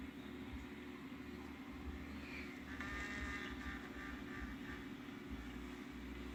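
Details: Skip Hop baby mobile not spinning: quiet, uneven gritty rasping repeating two or three times a second over a low motor hum, gears grinding instead of driving the mobile.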